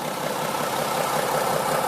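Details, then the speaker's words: Mack E7 diesel dump truck after a new injector was fitted: idle with a slightly uneven, lumpy beat as one cylinder misses; a cracked fuel line shows air in the fuel and a poor spray compared with a good cylinder. "And you can hear a difference whenever it starts missing."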